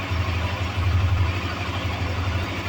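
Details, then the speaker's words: Honda CB Twister (CB250F) on a later day after fuel pump refill replacement cured injection noise: low smooth single-cylinder idle holding an even beat, not oscillating; normal healthy idle. "já é um outro dia né a moto tá funcionando perfeitamente graças a Deus parou né o o barulho agora ó injeta normal bateu pegou"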